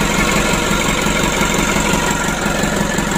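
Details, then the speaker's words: Rebuilt Mitsubishi 120 PS diesel engine just started for the first time after assembly, cold, warming at steady idle without revving; even beat about three per second, no knocks or misses, healthy. "teman-teman, alhamdulillah ya, untuk mesinnya sudah hidup. Nah, ini awal hidupnya teman-teman ya. Ini kita panasi dulu, kita rayen duduk, jangan kita gas-gas dulu."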